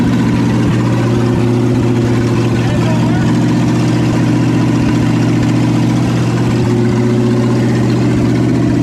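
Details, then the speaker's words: 1972 Chevy K20 4x4 V8 first run after sitting 15 years, new manifolds: steady even idle with deep regular exhaust beat, no knocks or ticks; probably some oil burning off the manifolds; normal idle. "probably just oil burning off of the new manifolds yeah sounds good could use a little bit of a exhaust pipe though"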